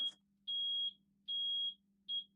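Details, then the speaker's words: Yamaha outboard boat ignition panel after replacing the ignition switches, which had caused strange startup noises: three clean high beeps of even pitch about half a second apart over a faint hum, the normal ready-to-start signal. "the appropriate 3 beeps that mean that things are working correctly, but the engines are ready to start. That was so satisfying."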